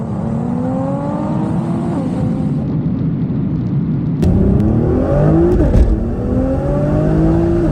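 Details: 2013 Nissan R35 GT-R GR6 dual-clutch transmission under hard acceleration: engine climbs hard, then on the 1-2 upshift revs flare before second grabs, a delayed clutch cross-over; shift flare on 1-2 upshift, later fixed with carbon seals and clutch plates.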